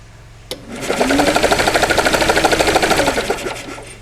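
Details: 1945 Onan generator cranking with spark plugs out: steady even chugging about three beats a second; good spark, 20 psi oil pressure at cranking speed after screen cleaned and resealed; normal cranking.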